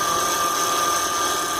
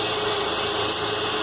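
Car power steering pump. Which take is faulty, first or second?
first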